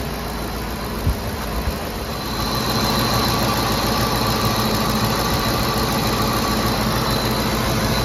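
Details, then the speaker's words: 2010 Ford F-150 5.4L 3-valve V8 just started after VCT solenoid replacement; raised RPM on start settling to a steady idle, no misfires, only the usual light valvetrain tick. "doesn't appear to have any misfires or ticking. Sounds pretty good. I mean, aside from that ticking, but they all do that. Every car."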